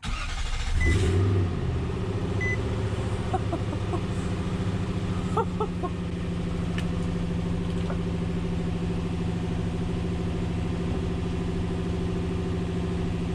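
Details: 2005 Nissan Titan just after an in-tank fuel pump rebuild with a Walbro pump and new in-tank hose, fuel pump heard priming: engine catches quickly and settles into a steady, even idle with no misfire or stumble; healthy start.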